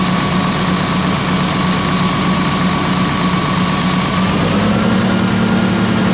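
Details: Ex-US Army Cat D6R bulldozer diesel, 822 hours, valve cover loose, injectors dropped: heavy diesel holds high revs with an uneven, lumpy beat, pitch stepping up midway; still running rough.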